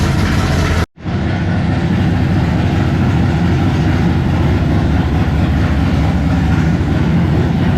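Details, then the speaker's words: 1957 Chevy pickup with swapped big-block Chevy V8, first fire-up with new 3-inch mandrel-bent exhaust and Black Widow mufflers; deep loud steady rumble settling into an even idle: normal idle. "It's not going to be quiet, I can tell you that. All right, first fire up with the exhaust. Let's hear it."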